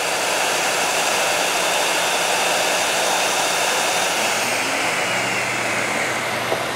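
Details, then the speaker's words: DaranEner NEO2000 LiFePO4 portable power station deliberately overloaded (heat gun and vacuum, voltage sagging): steady loud rush of cooling fans at full speed, unit keeps running and never shuts off; missing overload protection, likely a circuitry issue. "that's not good so you can probably hear the cooling fans running in this we had this guy really kicking uh trying to put way too much power out and it just kept running and never clicked off"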